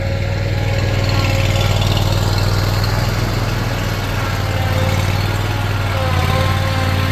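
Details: Craftsman Z6400 zero-turn mower after hydro drive belt replacement, revved up with blades on: deep, steady engine running evenly at raised speed, no slipping or squealing belt; healthy.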